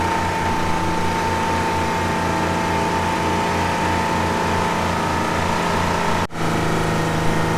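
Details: Old Ford engine deliberately filled with sand and water: rough, labouring running with a rhythmic low thump about three times a second, trying to die; knocking from the ingested sand and water.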